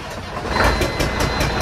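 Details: Peterbilt with CAT diesel engine: rough idle with sharp pops every fraction of a second puffing back through the intake. With the valve covers off, the number four exhaust valve is found faulty, pointing to a bad camshaft.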